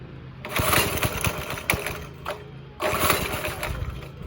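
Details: Go-kart with a 5.5 hp Briggs & Stratton single-cylinder, after sitting about a week and a half. It catches in uneven bursts, surging and dying, sounding restricted; the cause was a loose throttle cable whose hanger came out.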